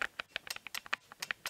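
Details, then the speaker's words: Tokina AT-X 16-28mm f/2.8 Pro FX lens, new out of the box: rapid dry clicks, about seven or eight a second, as the f-stop is adjusted; the aperture adjustment is noticeably noisy. "can you hear that that's really noisy"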